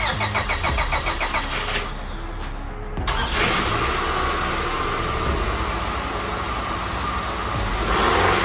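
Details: 1998 Honda Odyssey with JDM F23A swap after fitting a proper throttle body gasket; cranks briefly, catches cleanly, settles to steady even idle with light rev; sounds healthy, engine light to clear.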